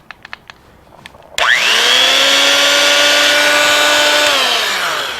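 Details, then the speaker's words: Roughly 70-year-old corded drill, long uncracked cord, slight chuck end play, previously sounded bad at start-up: spins up quickly to a steady high whine, even, no roughness or rattle; this time not bad; normal running. "Wow, it made a liar out of me because last time it sounded really bad. This time, not so bad. Not bad for probably a 70-year-old drill, maybe more."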